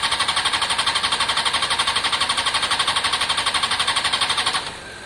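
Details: Honda CBR600 F4i fuel-injected non-runner, unstarted about three years, previously only ran on spray into airbox; even starter cranking about four beats a second for over four seconds, never catching; crank no start, fuel delivery suspected, pump appears internal to tank.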